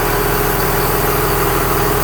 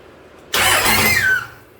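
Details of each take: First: 2001 Dodge Ram Cummins turbo diesel in a 1952 Dodge M37, starting quickly after the fuel pump primes: a deep, steady rumble with a few louder bursts, winding down at the end; a healthy normal idle. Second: 2001 Dodge Ram Cummins turbo diesel swapped into a 1952 Dodge M37, first start on one jerry can of fuel: about one second of fast cranking with no firing; air in the fuel lines.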